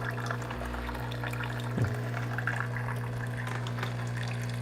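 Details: Breville Barista Pro dispensing hot water into an 8 oz cup for a long black: steady low pump hum under a gentle, even, uninterrupted stream of water; the dispenser works normally, though not fast.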